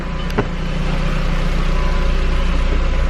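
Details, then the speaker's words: Flipped cheap Jetta after repair and new ignition coils, just started, not in gear, check engine light still on; steady even low idle, smooth hum with no misfire stumble or ticking; sounds good, healthy. "sounds great not that she sounded terrible before but sounds good now which means i didn't royally mess up somewhere"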